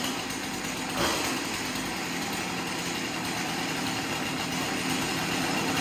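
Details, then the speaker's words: Chainsaw after cleanup of a scored cylinder and a new piston and ring, first start after priming a dry carb that has not been rebuilt: a quick throttle blip, then a steady high-pitched idle with no misses. Normal idle. "well that's great so it runs so i'm guessing the the carburetor was dry and um now it's pumping fuel through"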